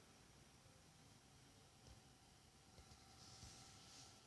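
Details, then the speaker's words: Alienware X51 R2 desktop idling at the lock screen, lying on its side, sound from the front: a quiet, steady airy fan rush with a faint high tone; the owner asks whether this is normal. "I'm not playing a game, but I'm just on the home screen, sorry, lock screen of my PC. I hope this sound is normal though."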